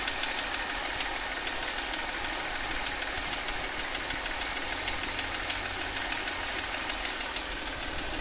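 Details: Mercedes 272.967 engine, warm idle, loudest on the left side: light, somewhat uneven tapping about three a second over the idle; knock inside the engine.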